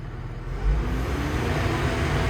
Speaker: machine is working as it should